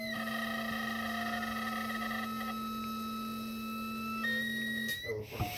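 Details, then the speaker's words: 1980 VW Rabbit with CIS fuel injection, fuel pump primed to pressurise the system for a fuel-pressure gauge test: steady electric hum for about five seconds then cuts off; normal fuel pump priming. "here's a fuel pump then you once you hear the fuel pump prime you pulp on this and I'll allow pressure to flow to this guy"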